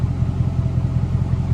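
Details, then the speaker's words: Cheaply bought, neglected Mercedes SL500: deep throbbing fast even exhaust pulses, loud and raw, much louder than stock; exhaust modification such as removed resonators suspected, not confirmed. "or it could be some exhaust modification maybe resonators removed that's"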